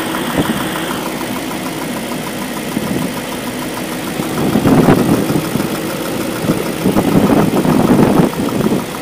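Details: BMW M62B44TU V8 at idle with stock exhaust: a busy, loose metallic clatter surging in bursts over the engine, sounding like timing chain slap, which prompted replacing the chain tensioner with an aftermarket INA part; timing chain rattle.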